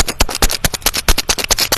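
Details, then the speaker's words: Start relay removed from a one-door refrigerator whose light works but won't cool; shaking it gives gritty, sand-like rattling bursts about eight a second from loose bits inside, meaning relay is ~90% broken; replaced with new one. "kalau dikocok-kocok seperti ini kemudian dia ada suara pasi di dalam ini 90% ya 90% ini rusak Bang ya"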